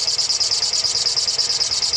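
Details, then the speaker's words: MX5 engine at quiet idle with high shrill squeak pulsing about eight times a second; WD40 on the alternator belt didn't stop it, on the power steering belt stopped it: slipping power steering belt. "so you can hear that belt squeaking obviously that's quite annoying not 100% sure that it's coming from the belts but about to found out"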